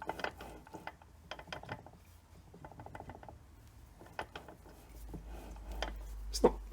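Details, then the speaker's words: Datsun 510 gearbox, noisy in neutral, on the bench with the housing off: the input bearing turned by hand gives uneven clicking and a gritty rattle, worn. "so you you can see I've taken the housing off and found out is in fact this bearing that sounds a bit horrible"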